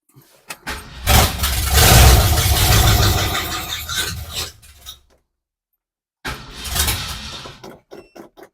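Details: First start of a garage-rebuilt Ford 302 V8 fitted in a 1966 Mustang, with gas in the carb and a shot of starting fluid: short crank, fires at once, runs strong, shuts off and fires again cleanly.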